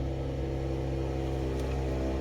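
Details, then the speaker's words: Mercedes-AMG GLE 53 Coupe 4Matic+ (W167) with EQ Boost: quiet start without starter whine, then steady even low rumble at smooth idle; EQ Boost removes starter noise, healthy idle. "Dia juga udah dari EQ Boost mesinnya. Bunyinya kayak gitu. Karena ini sudah EQ Boost, jadi kalau mesin dinyalakan decitannya sudah tidak ada."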